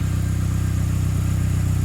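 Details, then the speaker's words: Saab 9-3 Aero, hot after ATF cylinder soak and steam cleaning, now running on all four: even idle with a sharp regular puffing chuff on each firing pulse, an exhaust leak audible; bit of black smoke from running rich. "well it's definitely exhaust leak on that that i can hear"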